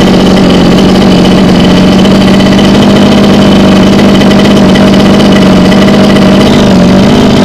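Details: Mini water-pump engine, two-stroke on premixed gasoline, holds a steady, even buzzing idle with no hunting or misses after repair; it had been hard-starting and racing uncontrollably because of fuel starvation.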